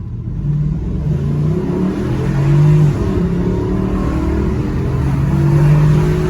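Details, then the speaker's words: Porsche Cayenne 955 on road test after replacing prop shaft with fouled guibo, bolts torqued: smooth engine drone rising with speed over road rumble, no clunk, knock or whine; no more noises, driveline quiet. "And there you have it. Once I fitted the prop, no more noises."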